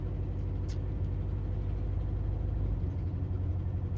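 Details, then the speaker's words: Vehicle sitting still at idle, with water suspected in the tank after a flood and condenser and points suspected: steady low idle with an uneven stumbling beat, a cylinder dropping out now and then; misfire cause not confirmed. "Even sitting still, I hear it misfiring, man."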